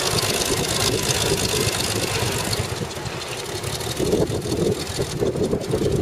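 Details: CVR(T) Striker FV102 Swingfire tank engine misfiring badly at idle in Aug 2010, rough irregular stumbling knock; cause was a stuck valve, later fixed by fitting a new spare engine.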